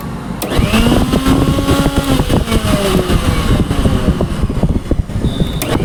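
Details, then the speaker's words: Philips mixer grinder after repair, previously very noisy inside: motor winds up with rising hum, settles into even run with light jar rattle, no grinding; now working well. "First class first class तो यह काम करने लगी है। बहुत अच्छी चल रही है मशीन।"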